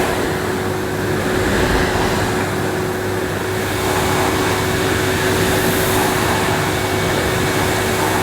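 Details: 1998 Hoover Alpina Filtra C1500 vacuum, a lower-end model with electronic speed control, pushed on the floor at full power with an empty dust bag: a smooth, even high rush of air with a steady motor tone; runs healthy.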